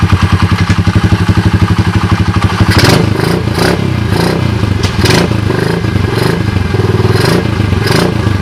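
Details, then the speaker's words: Speed Defies Gravity 107cc pit bike (damaged 3rd and 4th gears, locked kick starter): crisp, even single-cylinder thump at idle, then clean revs rising and settling without misses or knocks; engine sounds healthy. "as you guys can see it's dark cheesy as you guys can hear it sounds pretty good right"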